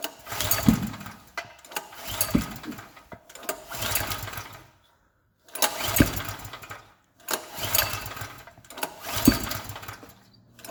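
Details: Gasoline generator repeatedly pull-started: each attempt gives a short sputtering burst that dies within a second or two, and the engine never catches and runs. Generator won't start.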